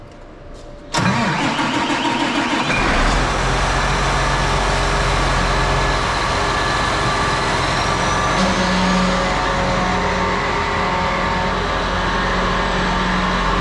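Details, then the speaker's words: John Deere 8RT tractor diesel, first start after a full service with the fuel filter primed: it catches after a brief crank and settles into a steady, even, low-rumbling idle. Normal diesel start and idle. "so we primed the fuel filter here getting fuel flowing through um we're gonna fire it up and hopefully everything runs"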